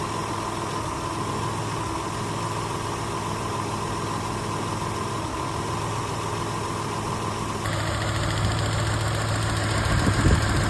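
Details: Toyota truck running rough at idle with a slightly uneven, lumpy beat; misfire on cylinder 2 from a worn ignition wire, fixed with spark plugs, wires and coil boots.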